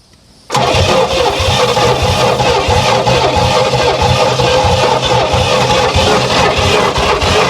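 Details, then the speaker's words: 1968 Oldsmobile Toronado 455 big block, barn find sat about 44 years, first start attempts after filing points and spraying carb cleaner: runs rough and loud, lumpy and hunting on two or three cylinders; misfire, cause unconfirmed. "so close it's so close it is uh extremely close to one in the Run he's running on like two or three cylinders once in a while"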